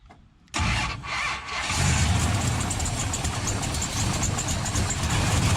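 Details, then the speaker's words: 1968 Hemi Charger V8 during a start attempt: the starter cranks and the engine catches but runs ragged without a clean idle. A vacuum leak was found preventing idle; possibly running lean. "yeah if you hook up the right wires it might actually start right nope"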